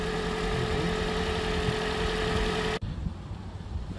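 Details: Toyota Prius 2012 engine at idle after the fix for a strange morning cold-start noise: steady, even idle with a faint constant tone, no knocking left after warm-up; normal idle.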